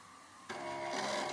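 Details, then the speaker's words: Samsung DVD-HR730 DVD player/recorder powered up after power supply repair: harsh whirring grind with buzzy rattle as disc spins, head moves but can't focus; optical drive mechanism binding, suspected to need cleaning. "a sound it sounds awful I start spinning something is happening it's definitely moving the head but it sounds like something needs some cleaning there"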